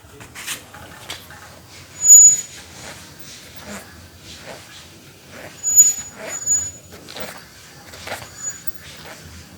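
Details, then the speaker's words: Bicycle disc brake with pad rub: short piercing squeals, intermittent "cit cit" or "kring kring", coming and going as the wheel turns; abnormal, likely just needs adjustment. "Ada bunyi yang timbul tenggelam seperti cit cit cit cit atau kring kring kring kring kring. Seperti itu berarti ada yang tidak normal atau butuh disetting saja."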